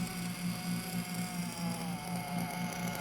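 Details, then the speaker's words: 1/8 RC nitro engine during carburetor tuning: a buzzy, slightly uneven idle sags and does not hold revs. The low-speed needle is leaned next. "idol is dropping"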